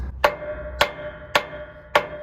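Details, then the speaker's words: Semi-truck trailer brake drum with the brakes set, tapped with a hammer. Four short dead thuds with no ringing, unlike the ping of a released drum, because the shoes are pressed against it. Indicates locked or applied brakes. "Hear that thud? Doesn't ring, doesn't echo because it's got the brake pads pushing against it."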